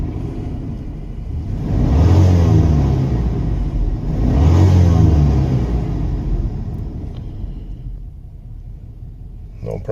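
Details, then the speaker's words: 1997 Chevy Tahoe 5.7 Vortec after fuel pump replacement, at −10 degrees while warming up: two smooth throttle blips settling to a steady idle with no misfire. It previously needed ether to start and lacked power. "so after James in the fuel pump there's no issues with that it revs up real nice"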